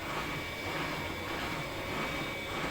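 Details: Siemens washing machine spinning at highest 1400 rpm setting, steady even rushing whir with no knocking or banging; drum suspended, machine stable; normal high-speed spin.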